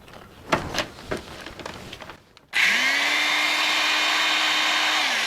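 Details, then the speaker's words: Double-insulated drill, the owner's first, received new: after handling knocks the motor spins up quickly to a strong, steady, even whine. It is a healthy drill running well. "Sounds like a beast. This was my first drill."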